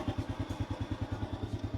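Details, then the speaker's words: Honda motorcycle with sidecar, over 10 years old, parked about a year, oil not yet changed, no battery fitted: soft, even single-cylinder putter, steady and quiet; owner calls engine smooth and quiet; normal idle. "เครื่องนิ่มเงียบเด้อครับ"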